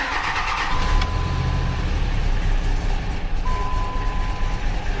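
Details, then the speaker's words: 2005 Dodge Ram Cummins diesel, first start after installing a 60-gallon Titan fuel tank: long cranking before it catches and settles into a rough, low rumble; air in the fuel lines suspected. "guessing there's some air in the lines"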